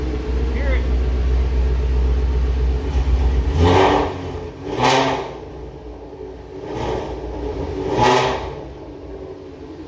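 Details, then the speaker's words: 2019 Ford Mustang Shelby GT350, 3800 miles, freshly fitted Whipple 3.0 supercharger and catless long-tube headers, warm, no boost: several light blips, revs climb and drop cleanly with no misses or rattles, very loud; normal revving, no leaks. "that is so loud everything's looking good in here"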